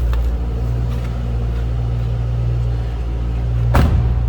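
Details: 2007 Ford Mustang Shelby GT, production number 1208, V8 at idle: deep, steady burble with an even low rumble and no knocks or misses; healthy engine running smoothly.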